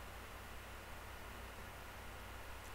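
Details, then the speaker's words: Laptop whose fans kick in under video editing software load: steady, even airy rush with a low hum underneath, no rhythm or rattle; cooling fans running hard. "whenever i try and do narration for my videos on video editing software my laptop fans kick in and i've got this awful hum in the background listen to this"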